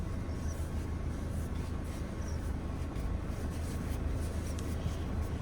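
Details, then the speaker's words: Toyota Innova driving after replacing the engine mount, gearbox mount and steering column boot: only steady road and engine rumble, no creak, clunk or groan. The steering noise when turning has been cleared. "അത് കടന്ന് പിന്നെ steering sound, turning time steering sound അതും നമ്മൾ clear ചെയ്തിട്ടുണ്ട്. എന്നുണ്ടോ ഇപ്പോൾ യാതൊരു വിധത്തിലുള്ള sound ഇതിനകത്ത് ഇല്ല."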